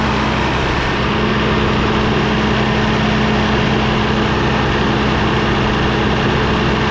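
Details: Rebuilt Cummins ISL9 (in-frame rebuild after dusting), warming up, idle raised about 100–200 rpm via cruise with engine brake on: steady, constant low drone, no knocks or misses. A slight labor came from the air compressor cutting in when the dryer purged.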